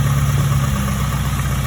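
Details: 2002 Acura RSX Type S petrol engine held just above idle. A deep, rapid, subtle low knock pulses through the rumble. Higher-octane 91–93 fuel was tried. Rod knock is suspected, not confirmed; the engine is being pulled for a bottom-end rebuild.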